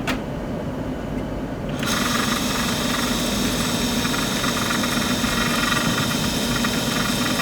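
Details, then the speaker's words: Turning a hard D7 part held in the chuck while making a tie-rod thrust plate for an Index 645 vertical mill: a steady, high-pitched ringing squeal over the cutting hiss is tool chatter. The spindle speed is too high and is being slowed down. "changing speed here slow it down so that i don't get that chatter"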